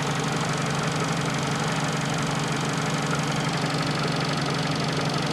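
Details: Fiat Panda 4x4 Sisley engine after a cold start; the worn fuel pump needs tapping to work. Steady, even idle with a light injector tick and no misses or knocks; engine sounds healthy.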